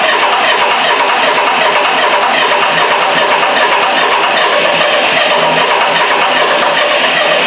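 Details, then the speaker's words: Miller Wildcat 350D diesel welder, an auction buy bought non-running, cranking at about 2.5 beats per second without starting. No fuel is coming from the high-pressure side of the injection pump. Cause not yet confirmed; a solenoid was found disconnected. "Cuz we are not getting any fuel out of that high pressure side. That is a problem is not going to start if we don't get that."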